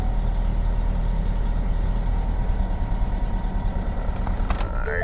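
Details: Salvage auction car with no coolant and possibly missing sensors, started briefly: low idle with an uneven, slightly stumbling beat, not settling into a smooth rhythm; mild misfire, cause not pinned down.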